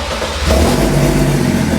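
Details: BMW M57 bi-turbo diesel swapped into a Nissan Patrol with 6HP28 6-speed automatic, first start, no exhaust fitted: loud open diesel clatter steps up after half a second, then settles into an even, raw idle; normal.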